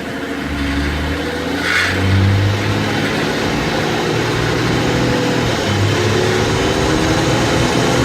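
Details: Mazda CX-9 pulling under load: steady low drone under the engine note, suspected to come from the rear differential.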